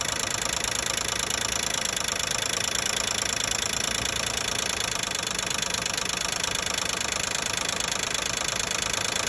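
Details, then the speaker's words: 2012 Nissan Maxima 3.5 L at idle: light, fast, somewhat uneven tapping around four per second over a hissy top end, located around the intake. Owner suspects a loose intake bracket making the noise; not yet confirmed. "it seem like something like I'm assuming like intake inake uh Sprat making a noise come"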